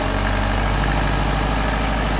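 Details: Subaru STI with a GT35R turbo at idle, about 2,400 miles: a fast, even light clicking over the rumble, from the compressor housing and louder than before; the car still pulls and holds boost, cause unknown.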